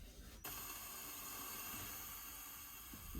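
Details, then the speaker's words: Tractor with no power reaching the cab, ignition on: a faint, even hiss cuts in and holds steady from the cab speakers; cause not traced, while the relay feed wire from the alternator diode reads only 4.4 V instead of about 25 V. "speakers are hissing as I don't know if you can hear that weird"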